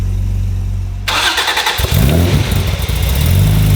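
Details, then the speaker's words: Honda NSX with fully built supercharged engine and aftermarket exhaust, restart after throttle position adjusted for larger throttle body during startup tune: about a second of cranking, then catches into a steady, slightly lumpy idle with deep exhaust rumble; normal start. "Good to go, cranking now. Oh, there she is. That's so much better."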